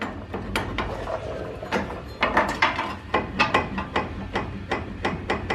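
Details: 1997 Nissan D21 pickup with over 300k miles: sharp metallic clacks in uneven bursts as the wheel is rocked in and out, showing play from a worn upper ball joint, with uneven wear on the tire's inside edge; the joint needs replacing.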